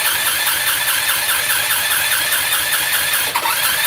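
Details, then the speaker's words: Generic Chinese 150cc scooter with new motor: starter button gives a fast even whir with light squeal, about two beats a second, never catching; cranks but no start, cause not yet found. "And the starter button works. Pull that button, no start."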